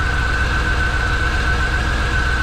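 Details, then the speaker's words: Abandoned 1993 Corvette 40th Anniversary six-speed with leaking new injectors: steady high whistle at one pitch over an even idle; source not identified, engine running poorly on old fuel. "let's just see what it does um a little whistling there"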